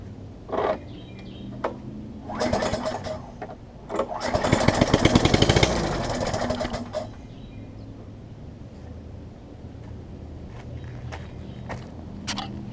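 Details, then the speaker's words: Craftsman 21-inch self-propelled mower before repair, exhaust off due to stripped bolts, carb not yet cleaned: small single-cylinder engine catches with loud raw rapid bark for a few seconds then dies; open exhaust, no muffler. "Obviously it's going to be loud because it doesn't have an exhaust on it, but it won't be running for more than a couple seconds."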